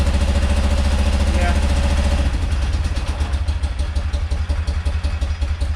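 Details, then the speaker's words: Rare carburetted twin motorcycle, first start: catches and roars briefly, then uneven chuff about three a second and dies; only left cylinder firing, carb bowl nearly dry, clogged fuel filter suspected. "that's only the left cylinder let's pop this bowl off yeah there's like basically no fuel in here"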